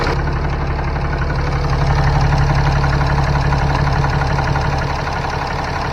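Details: 2015 Ram 3500 6.7L diesel idling after turbo wastegate actuator replacement and calibration, coolant at 131. Steady, even idle with a smooth low rumble and regular firing, no misses or odd noises. Normal diesel idle.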